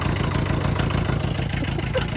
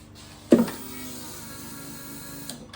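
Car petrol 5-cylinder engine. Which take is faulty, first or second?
second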